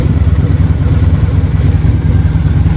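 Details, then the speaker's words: Harley-Davidson V-twin at low idle with the air box off, just after carburetor synchronization: a low, even, lopey beat with no stumbles, carbs balanced and dialed in; normal idle. "the idle sounds really good now. Yeah, those are pretty dialed in at this point."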